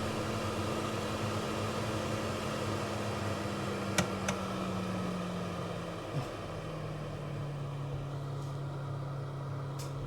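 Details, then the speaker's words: Nuaire Cyfan centrifugal extractor fan, ceiling-recessed in a kitchen and ducted to an external grill. It starts at full speed, then is turned down via the dial (about 30 litres). A quiet, steady hum steps down in pitch; it is running normally. "Remember this is a kitchen extractor fan, so I've cranked it up to full."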